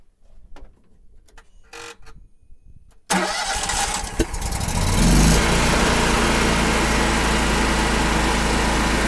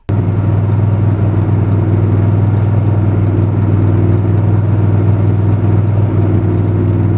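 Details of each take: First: Miller Trailblazer 325 EFI welder at about 803 hours, after replacing the oxygen sensor for rough idle and throttle surge: engine cranks, fires and settles into a steady, even run with no surging or stumbling. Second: Miller Trailblazer 325 EFI welder engine with rough idle and throttle surge, persisting after spark plugs, fuel pump and filters were changed; a low, slightly uneven idle beat, blamed on a failed oxygen sensor (Kohler 25 418 07-S).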